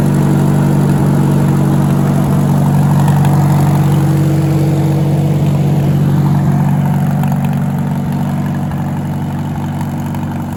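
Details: Farmall tractor (1949 H or 1968 656) after fuel issue work: steady low idle with an even, unhurried beat and no misses; running smoother once the choke is fully in, tone and pitch changing with choke.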